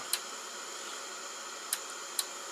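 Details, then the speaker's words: Atari 1050 floppy disk drive at power-on: three sharp, uneven ticks over steady fan hiss, head stepping forward only and not back, mechanism feels rough; owner suspects jamming or the belt. "It's like when I turn it on, it's like it keeps moving forward. I don't know if that's supposed to do that or whatever."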